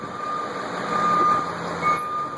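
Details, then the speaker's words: 1989 Chevrolet Thomas bus with 8-2 Detroit diesel idling in reverse with hazards on and the door open: the newly installed Ecco 575 backup beeper, wired off the transmission reverse light switch, pulses loud and sharp about once a second, working properly. "And I'll even give you a little backup alarm too if you want it. I'll put you in reverse. So what do? Reverse, hazard lights, horn. So you can hear the beeper open the door."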